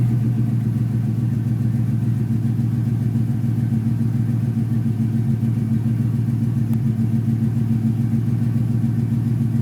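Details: Ford Mustang GT 5.0 V8 that intermittently stalls at idle (owner suspects idle air control motor), just timed; steady even low idle rumble with regular beat, no stumble or dip; fault not appearing, idling normally.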